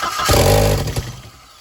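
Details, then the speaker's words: First start of a previously crank-no-start turbo build with an Integrated Engineering intake, still missing many vacuum lines: engine catches with a short rough rumble under a second, then fades, firing but not staying running. "All right, doesn't want to stay running. It is missing a bunch of vacuum lines. It runs though."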